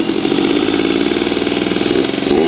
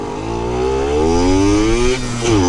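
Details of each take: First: Yamaha YSR50 two-stroke mini bike, before rebuild: screams at high, buzzy revs with no settling to idle. The owner believes an air leak causes the high-revving problem; crank seals and engine resealing followed. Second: Yamaha YSR50 two-stroke on a test ride after crank seals and engine reseal fixed an air leak; clean rising buzz through the revs, dips at a gear change, pulls again, no misses or rattles. Normal running.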